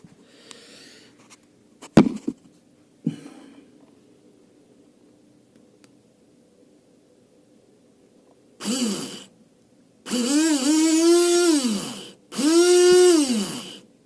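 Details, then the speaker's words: Mitsubishi L200 K74 windshield washer pump, wired directly to test: short bursts of small motor whine rising then falling with water hiss; pump spins freely again, owner thinks it was just seized. "Ok, le moteur marche."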